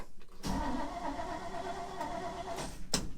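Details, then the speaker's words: Cold start of a Chevy 3100 truck with small block Chevy V8 after two pedal pumps, clutch in and choke out (fuel pump leaks): short crank, catches quickly and settles to a steady rumble; starts pretty good, healthy cold start. "Pump, pump. Starts pretty good, actually."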